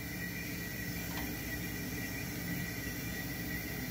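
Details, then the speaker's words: GE duplex refrigerator during refrigerant gas charge: low steady hum with faint hiss as the compressor runs evenly; its sound changes as gas is added. "since there is a little gas in the equipment, you can immediately hear the difference in the sound of the engine"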